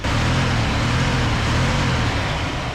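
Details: Circa-1978 Ford F250 crew cab, rescued with a formerly stuck, rusty engine, after new plug wires: steady even low idle rumble with no misses, knocks or ticks; possible small exhaust leak underneath; idling normally.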